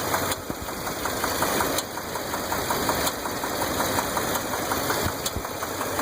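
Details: 2001 Dodge Ram 8.0L V10 at steady idle: sharp ticking plus a duller knock about once a second. A stethoscope traced it to the passenger side; these engines are known for rocker arm bolts breaking and freeing a pushrod.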